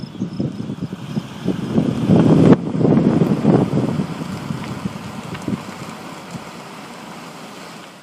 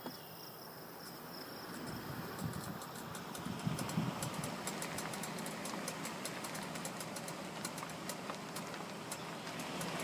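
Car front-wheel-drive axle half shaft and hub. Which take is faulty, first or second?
second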